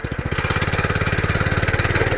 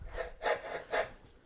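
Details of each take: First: Cheap petrol compactor plate after replacing exciter bearings that had failed from lack of oil: the engine revs up and the plate thumps steadily with no squeal, then winds down through slowing beats. It squealed badly before the repair. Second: Cheap compactor plate unused for over a year, exciter shaft turned by hand: dry, gritty rasp in bursts each turn; bearings failed from lack of oil, being replaced on both sides.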